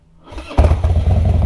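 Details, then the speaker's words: Harley-Davidson Twin Cam Dyna Glide (FXD), 39,000 miles, totally cold, after CV carb rebuild and intake reseal, one accelerator pump shot and full choke: short crank, catches at once, then a lumpy, slightly fast idle at about a third choke; healthy cold start. "Perfect. That's probably about a third choke. I probably could knock it all the way in. I'm gonna let it sit here and idle a little bit high for just a second"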